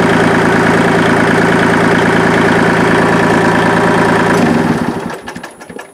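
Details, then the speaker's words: 3-cylinder diesel tractor, just fixed: even, steady chug about four beats a second with no misses, then winds down and stops; normal diesel running. "It sounds a lot different than my other one, because it's a 3-cylinder diesel. It sounds like a regular diesel and not like a"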